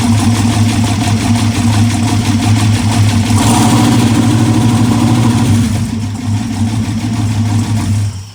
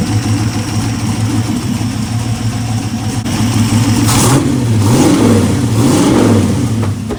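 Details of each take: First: Aluminum 6.0 LS V8, first test fire on an MSD 6014 ignition box; rough, shaky idle with busy clattering ticks over the exhaust and a miss, suggesting top-end valvetrain tapping; cause unconfirmed. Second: Aluminum 6.0 LS V8 on a run stand with mufflers, revving and settling with a deep burble; the earlier top-end tapping has quieted and seems gone, and oil is reaching the valvetrain. Normal running after revving.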